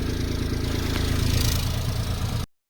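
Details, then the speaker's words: Peugeot 107 (same as Citroen C1/Toyota Aygo) just after replacing the exhaust back box: low, steady, even idle with quiet exhaust, no rattles or blowing, then shut off; normal idle. "As you can see, that's nice and quiet now."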